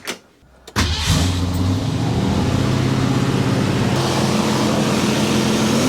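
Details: 1967 Mercury Cougar after fresh Wix 51515 filter and 5 quarts Castrol GTX Classic 20W-50, started to check for oil leaks: brief crank then smooth, even idle with no knocks or misses; healthy running.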